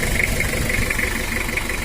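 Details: Toyota Kijang 2L diesel burning oil badly, still cold at idle: steady clatter with a faint ringing tick on top; valve train knock attributed to a worn camshaft and valve adjustment, cylinder liners also worn, before overhaul.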